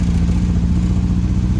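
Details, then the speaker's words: 1974 MGB with SU HIF4 carburettor, sent the wrong needle float: loud, lumpy low-pitched running with an uneven clattery beat; floats and needles seemed fine, but the float height was far too low, starving the engine of fuel. "all right guys we are suffering to be alive here it is running like dog crap what is that what would cause this the floats are good the needles are good"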